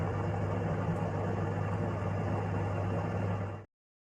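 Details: Kitchen sirocco-type range hood fan over 20 years old, after cleaning and oiling the motor to cure intermittent loud and metallic noises and occasional stopping: steady low hum with smooth even whoosh, no rubbing or ticking, cuts off cleanly: normal running.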